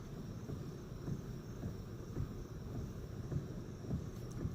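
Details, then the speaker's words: 2006 Pontiac G6 with electric power steering, after the intermediate steering shaft was replaced: low rumble with soft thumps when turning, and the loud clunk at the column on initiating a turn is gone. The owner suspects the rack and pinion is still bad on one side. "don't hear it anymore the loud clunking that was up here now it seems like we can still hear on that side and that would be likely the rack and pinion steering has gone bad in this car as well but we don't hear that loud knock up the steering wheel anymore"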